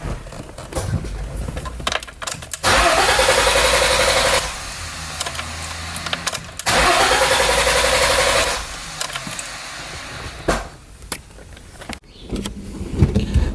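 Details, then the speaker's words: BMW E30 that died at a red light while driving: two brisk cranking bursts of about two seconds each, engine never fires; crank no start because the fuel pump isn't running, before pump replacement. "up guys so as you guys can tell in the beginning of the video my car doesn't wanna start"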